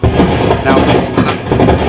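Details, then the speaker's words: Hartke HA3500 350 W bass amp with EQ out: loud irregular pops, spluttering and grumbling crackles in uneven bursts, worse with EQ in. "i can still hear that popping and spluttering and grumbling away there it's much worse when i put that in but it's still there with the eq out"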